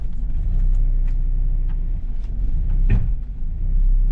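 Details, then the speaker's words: Mazda Miata with rear-end noise, clutch let out aggressively on test drive: steady rumble then one hard metallic clang as drive takes up; backlash in the driveline, possibly from worn rear differential gear teeth, with metallic-sheened fluid leaking from the diff. "oh yeah that big metallic clang some sort of backlash in the system either worn out gear teeth basically leaving play and gives you that clunk"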